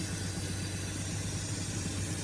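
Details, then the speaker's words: 1981 Ford F350, 300 six-cylinder, with new carburetor, idling: steady low rumble with faint constant hiss; vacuum leak. "Still looking for a vacuum leak. I can hear it, but it's running."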